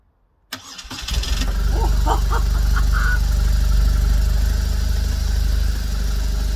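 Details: BMW R1200RT whose starter motor kept seizing, first start after the starter was stripped, cleaned and refitted: a quick crank, catching within a second into a strong, even idle. The starter works normally.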